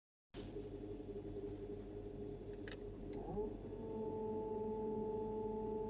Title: 2004 Volkswagen Touareg 4.2 whining noise.